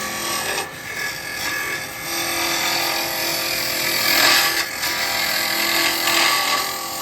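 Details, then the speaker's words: Woodturning a small Laburnum lidded box with a carbide scraper on the box bottom: rapid buzzing rasp, about four chatters a second; harmless chatter, not a grab, which happens at the side where about 28 mm of cutter contacts. "Now most people would, see, that's when it gets that full bottom, it grabs. It just makes that noise."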